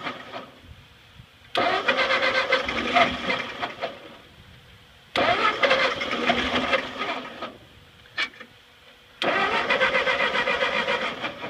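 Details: Ford 8N tractor that sat 4–5 years, freshly fueled with carburetor drain bled, choked: three long cranking spells at about four strokes a second with brief sputters, never catching; a fuel drip is also present.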